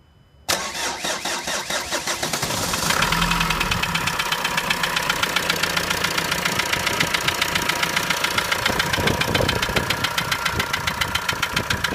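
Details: Renault 2.0 dCi 150 diesel: starts and idles with a sharp, fairly regular ticking clatter about three or four per second; abnormal engine noise, source not identified.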